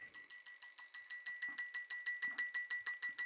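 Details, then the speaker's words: Merc Marine 496 injector after repair (PCM no-comm, injector 2 and 7 codes), actuated through test light: crisp, even clicks about three a second, none skipped; previously cylinder 2 skipped, now firing every pulse. "hopefully guys you hear that click click click click click click click every single time and now we can see that in here as well"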